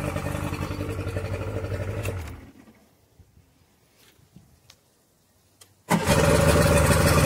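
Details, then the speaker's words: Yamaha prime start (choke) engine on a warm day with water running: it runs, shuts off, then catches instantly and settles into a brisk, even fast idle on the choke before dropping back; normal start. "That's what it sounds like when it runs properly."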